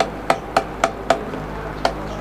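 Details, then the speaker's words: Old electric fan on speed 1 while oscillating: sharp plastic clicks, about four a second, over soft fan hum, loudest when swinging to the right, from the cracked oscillation gearbox. "maingay pag napupunta doon sa gawing kanan tumutunog siya ayan Ayon tumutunog po ng ganon maingay po pagka ganyan"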